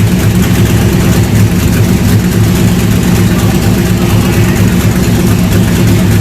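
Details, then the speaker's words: C3 Corvette with LS swap and newly built stainless side-pipe headers, first run: deep, even V8 burble holding a steady idle with no misses, knocks or exhaust ticks; runs healthy. "So finally, it's time to get it fired up. Listen to it and hear this thing really sounds sweet."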